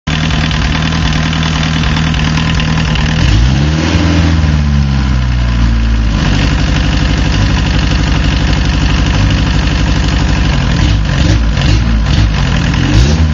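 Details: Diesel car, warm idle: starts easily but after warming up one cylinder misses, idle stumbling and loping unevenly; owner suspects a bad injector with poor spray pattern that doesn't open well at low fuel; unconfirmed.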